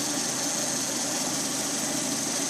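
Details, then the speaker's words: Lada Priora 126 engine, warmed up, 50,000 km, 20,000 km after repair of piston knock: steady, even idle with smooth hum and no knocking or tapping; engine healthy after repair. "По сравнению с тем, что было, работает замечательно."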